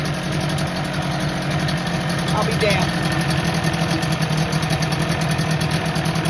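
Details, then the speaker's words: 1985 Johnson 25 hp two-stroke outboard, long stored, carburetor needle loose; first start after spark check, kill switch wiring suspect: steady burble at idle with no misses or surging; normal idle, though owner reports it won't restart once warm. "But she runs. I knew she'd fire. I just knew it."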